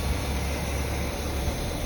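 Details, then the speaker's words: Chevy C10 farm truck, 350 V8, driving on the highway after new exhaust and tune-up: deep, smooth drone under road noise with no knocks, misses or rattles; runs smooth and peppy. "Man, she runs good. See if the windshield wipers work. Oh yeah, on the new windshield. Fred's on the highway. Smooth as can be. Pretty peppy too."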